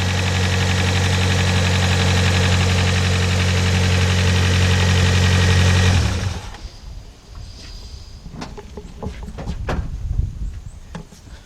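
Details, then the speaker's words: 1991 Toyota Corolla 1.6 after timing belt, seal and gasket repair: smooth even idle with steady low hum, no knocks, for six seconds before shutoff; engine healthy, minor oil drip remains. "guys that is pertinent that sounded really good except for another drop of oil"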